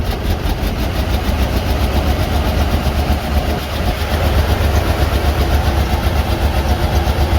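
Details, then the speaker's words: Low-compression V8 box truck treated with engine restorer, started with a jump starter: lumpy, uneven idle with a stumbling beat about four times a second; engine missing badly, cause suspected not confirmed. "I think it ran a lot like this. Yeah, I mean, she's missing pretty good."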